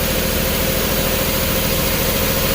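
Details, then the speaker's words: 2011 Jeep Grand Cherokee 3.6L with used engine and harness: coils jumped directly, engine idles lumpy and shaky on cylinders 1, 2, 3, 5; 4 and 6 dead from an open in the harness; misfire. "guys, ran out of space, but you can see we are running on cylinders 1, 2, 3, and 5. 4 and 6 are not firing, but we have this because we have a jump."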